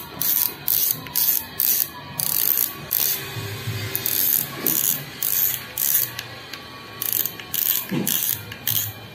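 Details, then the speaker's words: Shimano Sedona XT 5000 spinning reel: bursts of fast, crisp drag clicking as the spool is pulled, quickening with spool speed. The drag is not very loud but works normally. "kemudian kita dengar suara dragnya kita dengar bunyi dragnya ya tidak terlalu nyaringnya suaranya namun cukuplah ini ketika berputar dengan cepat tentunya suaranya akan semakin nyaring"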